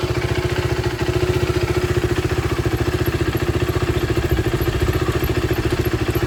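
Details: 2015 KTM RC390 BS3 after oil change, new brake pads and chain lube during rebuild: crisp, even single-cylinder thump at roughly three and a half beats a second, steady and unbroken; normal running.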